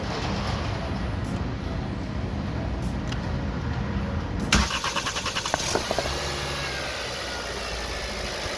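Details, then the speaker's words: 2021 Nissan Sentra after a no-start, no-fuel fault (no fuel pressure; fuses and high-pressure pump checked): short crank, then it catches at once and settles into a smooth, quiet, steady idle; starts and runs normally. "Okay, now it's running."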